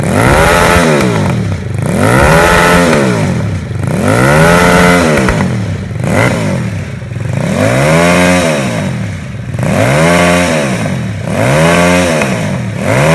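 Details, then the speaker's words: Homemade Vietnamese mini Ducati L-twin motorcycle, just fitted with exhaust, fuel tank, forks and wheels; plug lead reconnected after running on the auxiliary cylinder alone, both cylinders firing; revved repeatedly in slow rising-and-falling sweeps, smooth with no stumble; normal twin-cylinder running. "Rồi, hai máy. Rồi cắm dây phin lại rồi, giờ mình nổ hai máy nè."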